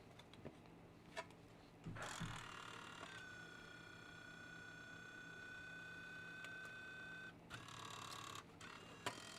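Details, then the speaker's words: Nintendo Wii that does not read discs; thin steady whine with rough grinding bursts at start and finish as the disc spins, sounds like a tractor; likely bad optical disc drive. "This one's disc drive sounds like a tractor."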